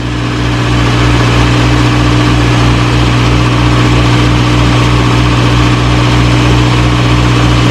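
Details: 1937 Morris 8, 918cc pre-war engine, first run on choke during recommissioning: steady, even idle, smooth low beat about four pulses a second, no knocks or misses; about 75 psi oil pressure, slight smoke from oil around the valves.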